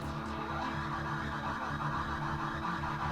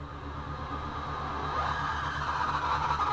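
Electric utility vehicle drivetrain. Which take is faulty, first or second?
second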